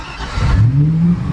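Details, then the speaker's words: 1999 Bayliner 3055, starboard 5.0L MerCruiser Thunderbolt engine, about 1000 hours, dead cold start: brief crank, catches at once, revs rise smoothly and settle to steady low idle; normal cold start. "that throttle right back fired right up oil pressure gauge is a little in the prints may settle down"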